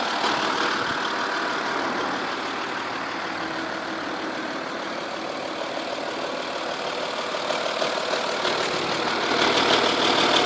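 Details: 2.5 V6 TDI diesel idling with a steady light tick about three a second over engine clatter, loudest from car sides and from under at rear passenger side of engine; cams previously changed, owner suspected exhaust gasket but found nothing.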